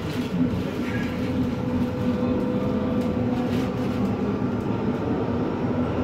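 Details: Noisy ride in a 1996 Italian-built Ansaldo Breda light-rail car no. A19 (AEG motors, 3-car set) on Ankara line A1 toward Dikimevi: loud steady rumble with rattling throughout; excessive running noise, source unclear.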